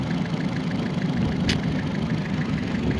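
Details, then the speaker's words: 2011 Fiat 500 Sport, 1.4L non-turbo MultiAir, 168,305 miles, 5-speed manual: a steady low drone with a lumpy, shaky rough idle. The car has a bad alternator with a battery light, a flashing ETC light and a momentary flashing check-engine light with no stored code; cause unclear. "it's running a little rough but no check engine light on but it's got the 1.4 liter multi air motor I"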